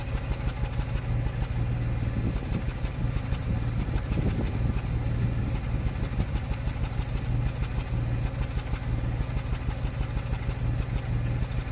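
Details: 2005 Land Rover Freelander V6 idling: uneven, lumpy beat with occasional stumbles in the exhaust pulse; intermittent misfire remains despite new plugs, good coils and a new MAF, cause unknown.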